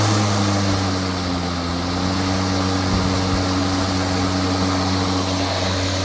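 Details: Milwaukee battery lawn mower that shuts off seconds after starting, kept running by pressing and holding the bail/clip (owners suspect the clip or something under it); steady even motor hum with no dropouts while held; normal running.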